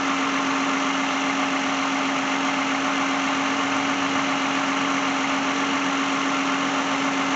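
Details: 2010 Lexus idling after start-up while the alternator is tested, showing a 13.8–13.9 V charge: an even, steady idle with a constant hum and no knocks or misses; the engine runs smoothly.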